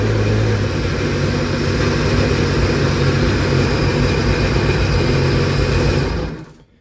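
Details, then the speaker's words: 2006 Sea-Doo RXP supercharged jet ski after fluid checks, cranks right up; steady, deep, even drone with no knocks or rattles, then clean shutdown; normal running. "she's a she's a very happy jet ski at this point so that's that's the case there she's a happy jet ski listen to that ready to go"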